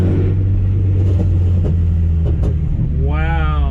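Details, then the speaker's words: Car running after the faulty remanufactured eBay injectors were replaced: deep, even rumble with no stumble or missed beats through a light rev; running much better, injectors were the cause all along. "no that is definitely running better than it was before I haven't driven the car with it actually running now fixed it it was it was the injectors the entire time"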